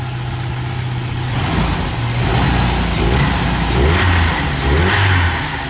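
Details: Jeep engine (bought with suspected ticking or knocking, possibly a bad lifter) rises and falls smoothly through a few blips and settles to a steady idle with no knocks or ticks. It is charging at 1440 and runs normally.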